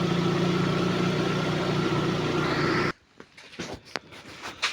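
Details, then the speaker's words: Lada Priora engine after replacing non-interference pistons that knocked, coolant around 55°C: even quiet idle, smooth steady hum, no knock, dieseling or piston slap; repair successful. "Ну, короче, тихо, тихо работает, тихо. Нет этого противного дизеления, этой долбёжки, перекладки поршневой."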